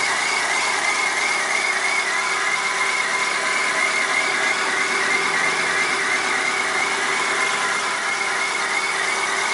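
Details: 1997 Chevrolet Corsa 1.0 MPFI at cold start: thin high chirp and scraping rasp over steady idle that disappears once the engine warms up; cold-start chirping noise, source not identified.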